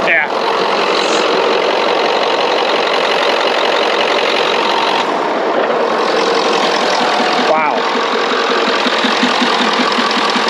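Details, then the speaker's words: 1990s Ford F-250 7.3 Powerstroke diesel with a veggie-oil conversion, sat 10 years, started once the glow plugs were used. A steady, even diesel clatter at idle with no misses or knocks: a normal diesel idle. "no way there's no way to start it up and it sounds that good listen to that wow it runs better than my engine discovered"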